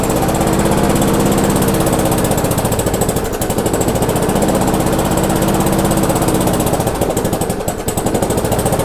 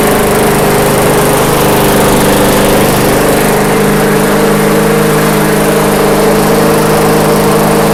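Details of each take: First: Abandoned MTD/Yard Machines non-self-propelled walk-behind mower, after screw adjustment and air cleaner refitted: rapid choppy firing around four beats a second, sagging and stumbling twice; engine judged good, governor arm blamed for the run issues. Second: MTD/Yard Machines walk-behind mower after the governor arm was tweaked: small single-cylinder engine idling low and perfectly steady, no surging or hunting; normal settled idle.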